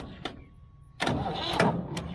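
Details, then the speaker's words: Old Ford backhoe diesel that sat for years and ran out of fuel, primed with starting fluid: labored cranking then a few harsh, uneven firing bursts as it tries to catch; hard starting, cause suspected, not confirmed. "You hear how hard it's hitting? Oh, I hear it, man. Oh, she wants to so bad."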